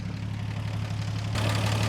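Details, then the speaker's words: 1949 Chevy Fleetline 216 cu in six just after a PCV valve was installed, about 15 psi oil pressure, not yet warmed up: loud, busy low rumble with a steady rapid clatter, noisier than expected, cause unknown; noisy idle. "Alright, she's running. Let's this engine's sounding pretty noisy, but it may just be me."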